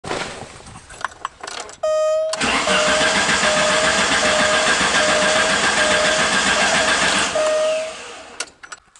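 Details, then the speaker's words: Alfa Romeo Spider, sat a couple of months in winter, full tank: starter cranks evenly about four compressions a second for six seconds, never catches; crank no start. "once you start it and it would just crank and crank crank acts like it's getting enough fuel and the fuel tank is full"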